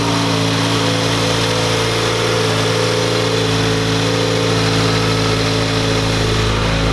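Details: 2018 Subaru WRX flat-four, just after spark plug replacement with NGK ILKAR8H6 plugs: smooth, steady idle with an even low burble and no misfire, ticking or hunting.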